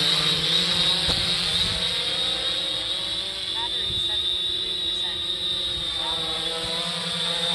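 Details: 3DR Solo quadcopter hovering after swapping OEM motors for Emax MT2216 810KV motors: steady, soft high-pitched hum with no wobble or buzz, much quieter than the OEM motors; normal motor hum.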